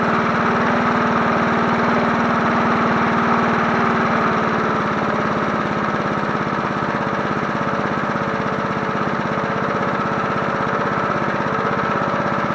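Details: 1980s John Deere NO20K push mower, free runner cleaned up for sale, final startup on choke: steady, even single-cylinder beat, no stumbles or knocks; runs healthy.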